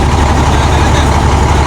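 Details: International concrete mixer truck with a diesel engine, broken down and not starting for about 4 years: deep, steady rumble with no misses, knocks or hunting, a smooth even idle once running and the alternator confirmed charging.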